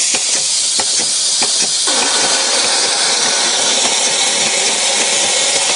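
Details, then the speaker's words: Spray gun on a StreetPrint Rapid Sprayer II, with airflow to the nozzle set by the second regulator: sputtering air bursts for about two seconds, then a steady strong hiss as pressure builds; normal atomizing. "you can also adjust the amount of spray to your gun the amount of air coming out of this nozzle here through our second regulator"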